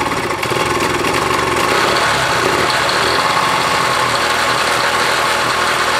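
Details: 1966 Honda CL90 (owner unsure of year), rebuilt top end, idling after debris was cleaned off the ignition points: steady, light buzzing idle, no misses or stumbles; ignition firing cleanly, wants to run good.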